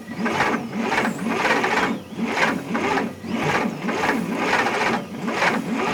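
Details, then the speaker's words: 1960 Bombardier J5 not run in 20 years, key switch bypassed with power direct to coil, spark present, fuel in cylinders and intake: labored uneven cranking about two strokes a second, no firing; owner suspects plug wires wrong, distributor timing off or rich mixture. "i'm wondering if they had it uh if they have the uh the wires in right why is it cranking so slow"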